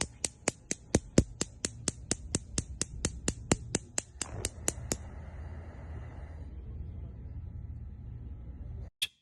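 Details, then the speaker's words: LG gas range: sharp, evenly spaced snaps, about four a second for five seconds, as a surface burner lights. All surface burner igniters are linked and spark together. Normal spark igniter clicking. "when you light a burner you will hear a clicking noise from the electric spark igniter all of the igniters for the surface burners are connected so when one igniter sparks they all spark"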